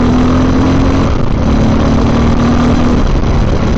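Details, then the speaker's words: 2024 Honda XR650L being tuned for an expedition, riding and lugging then opening the throttle: single-cylinder thumping steadily under load, pulling cleanly with no stumble or hesitation; perfect throttle response. "Perfect throttle response. I'm very, very happy with that."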